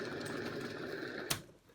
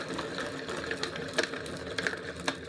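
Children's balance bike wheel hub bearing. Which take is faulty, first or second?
second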